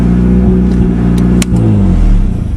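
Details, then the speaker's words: 1992 Eagle Talon with the catalytic converter removed, revved without a working water pump: a deep, loud, blatty exhaust rumble that climbs with each rev and falls off again. Loud exhaust without catalytic converter. "But it does sound nice when you're giving her, stepping on her."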